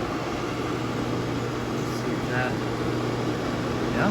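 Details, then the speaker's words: Curbside Pit Boss FB700 pellet grill, after clearing an auger jammed by swollen pellets, run on the lowest setting: steady low motor hum with an even fan whir and no grinding or stalling. Fan and auger turning freely. "let's see we'll just turn it on the lowest setting just to see what it does all right so the fan works down"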